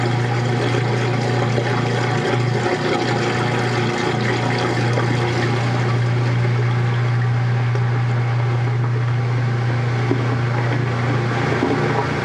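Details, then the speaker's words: Washing machine transmission during a wash, recorded in 2014 with walls and floor echoing: a steady low drive hum with a faint watery slosh, even and unchanging; a healthy transmission running smoothly. "Yeah, I love how the transmission sounds on this one. I think the walls and the floor help it echo a little bit."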